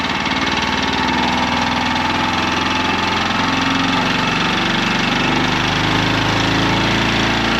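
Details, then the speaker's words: Champion 100812 generator (2019), revived after sitting about four years, powering shop lights: steady, even engine drone with no hunting or surging, running smooth at constant speed. Normal running. "That sounds like a generator. Let's see if it'll turn my stuff on now."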